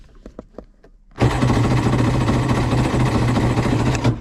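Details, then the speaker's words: Polaris SL750 jet ski on a cold 38°F lake day, a few clicks then about three seconds of rhythmic cranking that never catches; cranks but won't start, owner suspects a nearly dead battery is contributing. "this ain't going to happen we tried we failed miserably good deal I think the battery is almost dead as well so I don't think that's helping a whole lot either"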